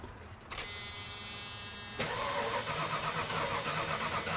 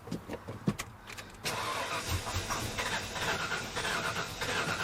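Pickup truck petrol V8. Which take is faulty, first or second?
second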